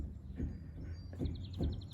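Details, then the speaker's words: Mercedes W126 with highway-speed wobble near 65 mph: dull clunks as the front wheel is rocked with a lug-nut extension. Front-end play is almost 3 mm (1/8 in) from a worn brake support bracket assembly. "and you can possibly hear the clunking sound. This one is pretty bad. This is at least almost 1/8 of an inch, 3 millimeters play in the front end,"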